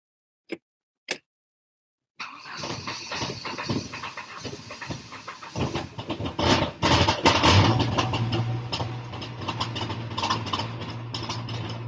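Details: Saab being prepared for a race rally, started after spark wiring repair with the fuel pump confirmed working; after a couple of clicks the engine catches and runs on with an uneven but steady note; running normally.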